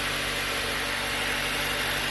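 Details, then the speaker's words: 2012 Chrysler 200 after no-start, running only once spare crank sensor installed: busy, uneven, slightly shaky idle under heavy hiss; running rough, cause not pinned down, possible leak seen underneath. "well guys y'all hear that it's running uh put my spare crank sensor in there and now I am running what does that tell me oh running bad but it's running"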